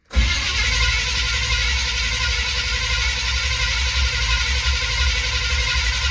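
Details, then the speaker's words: 1970 Chevy C20 truck V8 with the choke not hooked up. The starter churns steadily for six seconds and the engine never catches; hard starting. "the choke isn't hooked up either so it's a little bit harder to start"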